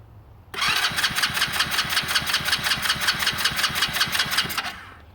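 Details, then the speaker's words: Hammerhead 110cc go-kart sat nearly a year: steady starter cranking for about four seconds, never fires despite confirmed spark and cleaned plug; carburetor to be pulled and cleaned, suspected gummed by stale fuel. "So we're going to pull off the carburetor. It would not run. So we're going to pull off the carburetor, clean that all out, and then reassemble."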